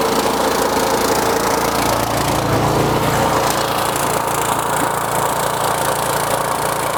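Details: RynoWorx AirBoss 300 sealant sprayer's small petrol engine drones at a steady speed under constant pump load while transferring sealant from a tote into the tank; even and smooth, normal running.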